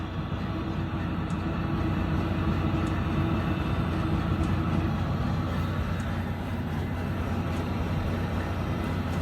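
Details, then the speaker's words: Webasto bunk heater in a Volvo D13 truck, starting up and heard from the back: steady low roar of the blower and burner with a faint tick about every 1.5 s from the dosing pump; normal running. "It's pumping, it's sucking. Let me go around the back so you can see what's going on."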